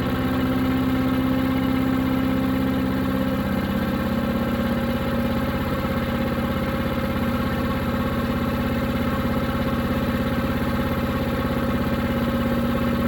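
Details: New Harbor Freight Predator 212 chipper shredder that only ran on choke, after fix: steady, even single-cylinder putter at settled idle, no hunting or surging, running without choke.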